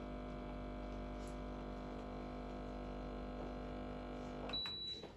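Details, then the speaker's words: Breville Barista Express BES870 during an espresso shot at full pressure: steady, even pump buzz at one pitch with no stutter, then cuts off; normal espresso pump operation. "So we're getting about full pressure, 1 o'clock at the end of the gray zone. Nice symmetrical flow. And we're 25 seconds in."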